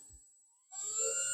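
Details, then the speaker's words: 3D-printed axial flux brushless motor with 12 tiny magnets on its first run, driven by an ESC: a clean high whine rises briefly, then holds smooth and even with no rattle; it runs healthy. "Okay, I don't think this is going to explode. It sounds so nice."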